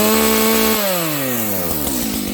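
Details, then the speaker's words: Stock Dolmar 7300H chainsaw, high jet opened fully to the limiter: screams at a high steady pitch then sags and drops off at full throttle; still sounds lean, suspected, not confirmed. "That sounds a little lean to me. How about you guys?"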